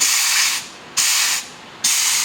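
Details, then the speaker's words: Ford 4R100 transmission on the bench, air check of the direct (third gear and reverse) clutch: sharp air blasts with firm quick cutoff, clutch heard applying, no leak hiss; normal apply. "you can physically hear that one coming on on the inside now here right down in here is your direct this is your third gear and your reverse clutch can you hear that you can hear that coming on just like that"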